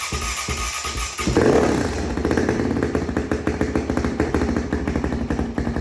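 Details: 2005 Honda CRF450X single-cylinder, stored about 10 years, first start with fuel on carb, petcock leaking: revs cleanly with quick throttle pickup and steady firing, music underneath; no smoke, runs healthy after its long sit until running out of gas.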